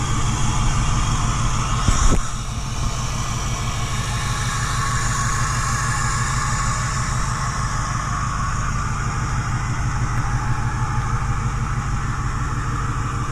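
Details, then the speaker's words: 2010 Ford F-250 6.4 Powerstroke diesel, Copart rebuild with replacement engine, idling up in high idle mode: steady, even clatter and low rumble under the hood with no misses or knocks; normal idle. "So, looking underneath the hood, you guys can see that this engine sounds absolutely excellent. Absolutely nothing wrong with it whatsoever. Runs absolutely gorgeous."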